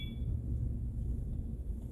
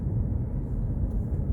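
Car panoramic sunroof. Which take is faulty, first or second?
first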